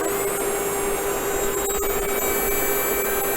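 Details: Tokyo Marui HK P30 electric blowback airsoft pistol, reassembled, mic held close: a steady mid-pitched motor whine with no firing clicks or blowback thumps, slight burning smell; motor spins but gun fails to cycle, owner suspects motor fault or gear misalignment.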